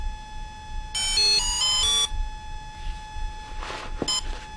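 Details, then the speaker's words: Volcano 30A brushless ESC for a 450 RC helicopter, tones played through the motor: a second-long stepped musical beep run, then a lone short chirp; the ESC entering programming mode. "now it's going to go through a sequence you heard one beat now two beeps three beeps and that four beeps and as a for those are short beeps"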